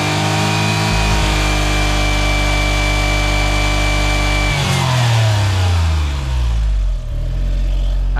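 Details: Suzuki Cara (Autozam AZ-1) DOHC F6A engine held at high revs stumbles and breaks up unevenly near the limit, then falls away; misfire-like stutter, owner suspects fuel system (injectors, regulator), cause unconfirmed.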